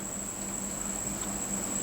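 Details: Modified Cocobass reel with new spool bearings and magnet changed. A thin, steady high whir holds as the spool keeps coasting without stopping. Smooth bearings, normal free-spinning spool.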